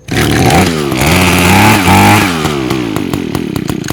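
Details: Echo two-stroke with Zama carburetor, first start after rebuild and brass plug fix, choke on, primed: catches straight away and runs on with a clean, steady buzz, revving up and settling evenly; sounds healthy.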